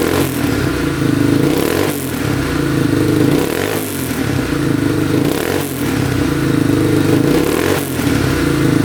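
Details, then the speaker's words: 2002 Yamaha Warrior 350 quad, revived non-runner with a mouse nest cleared from the pipe; single cylinder revs up and drops back in repeated crisp blips with no knocking, still smoking a little but starting right up and running pretty good. "Alright, she's running pretty good. Starts right up. Engine sounds good, no knocking."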